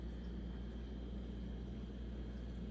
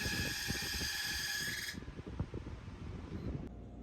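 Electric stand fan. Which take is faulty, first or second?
second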